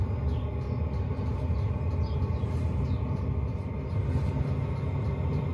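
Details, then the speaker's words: 5 kW Chinese diesel heater in an underslung stainless box under a Mercedes Vario minibus, with a rubber-booted quiet fuel pump: a low, even rumble building to full power with no rattles or surging, measured 64.5 dB before lagging, normal operation. "using a decibel meter app i measured the decibel level to be 64.5 without the lagging on so you know not overly loud hanging off that strap"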